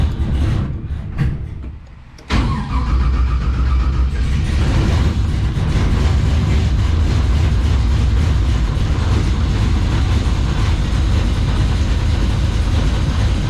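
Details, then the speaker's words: LS1 V8 in a 1951 Chevrolet custom at first start after re-pinning miswired aftermarket coil sub-harnesses, Holley Terminator X Max EFI: runs rough with an uneven, lumpy, stumbling beat; owner unsure if missing, suspects homemade plug leads or worn plugs, needs tuning. "I don't know why it's running so rough, but I don't know whether it's missing or or what."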